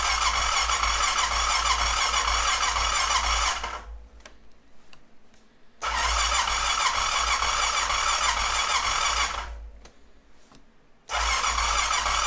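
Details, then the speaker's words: 2005 Honda TRX650 Rincon, 650cc single-cylinder carbureted four-stroke, restart on half choke after it shut off: the starter cranks in bursts of about four seconds and never catches. Fuel starvation from a stuck carb float valve. "I'm not going to keep uh just trying to crank and crank and crank I'm going to shut it all down and let it sit for a few minutes come back try to restart it and see what that does"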